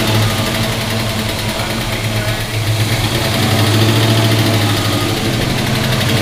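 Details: 1971 Pontiac GTO first start in 5+ years, new gas tank: deep, steady V8 idle with an even lope, no ticks or knocks; 60–70 psi oil pressure while running, headers burning off dust. Normal idle.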